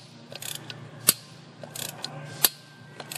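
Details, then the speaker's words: Ford 4.6L/5.4L 3V engine, broken spark plug removal with a Lisle extraction tool and left-hand tap: slow ratchet clicks with two sharp cracks as the broken plug shell breaks loose from the cylinder head; a good sign. "slow and steady that noise right there is good that's the uh that's the shell"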